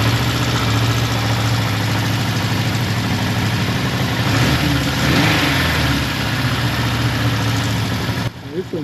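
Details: Suzuki GS550T, first start after 10–15 years of storage, with ultrasonically cleaned carbs and oil in the cylinders: the engine idles low and lumpy, with an unsteady rhythm, and only keeps running on choke. Idle speed is low and will be adjusted.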